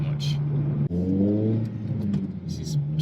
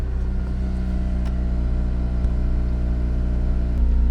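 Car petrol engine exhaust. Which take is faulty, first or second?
first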